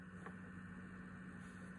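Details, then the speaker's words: PS5 running a game, 20 cm clearance with 10 cm behind: steady low droning fan hum with a clear tone, console vibrating slightly; gets louder after about half an hour. "wird nach dem zeit auch lauter nach halbe stunde wird es noch lauter momentan ist es so"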